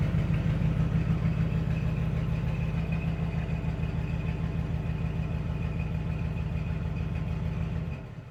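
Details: 1961 Cadillac Coupe DeVille V8 idling after a hot-weather cold start following about four months sitting: a steady, loud thump of around two hundred beats a minute with no miss. One side roars through straight pipes from a blown brand-new muffler.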